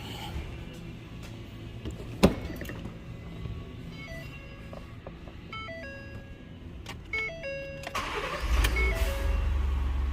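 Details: 2017 Ford F-150 3.5L EcoBoost with intermittent no-start, after reseating a fuse that was barely sitting in its slot (fuse 37, body control supply): dash chimes, then a quick crank catches at once into an even idle; normal start.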